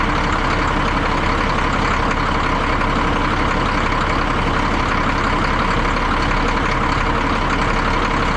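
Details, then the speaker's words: 1962 Peterbilt 351 with an old pre-cup Cat diesel, started after sitting about 3 months over winter: a loose, rattly idle at about three beats a second, even and steady with a marble-like clatter; sounds healthy. "I think this is by far my favorite kind of engine, these old pre-cup cats. They just sound awesome."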